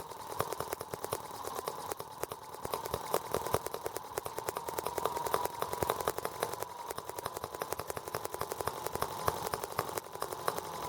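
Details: R18 model engine's first start with a warranty-replacement Hall sensor harness; ignition sparks now, but faint uneven popping with stumbling, bunched firing pulses: runs rough with new balance issues.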